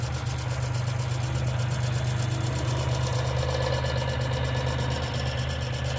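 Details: 1995 Geo Metro at idle: a light, quick ticking at about three per second over a steady small-engine idle, consistent with lifter tick.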